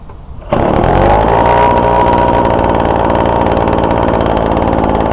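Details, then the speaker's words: Husqvarna 125BT backpack blower, cold engine after sitting about a month, primed and choked, 50:1 fuel mix: starts on the first pull and settles into a steady, even high-pitched two-stroke drone; healthy running. "Yeah, that was good. It started in one pull."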